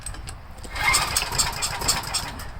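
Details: Homelite 389cc generator, carburetor previously cleaned years ago, now leaking carb; pull-start cranking on choke with fuel on gives brief sputters but no steady firing, hard starting.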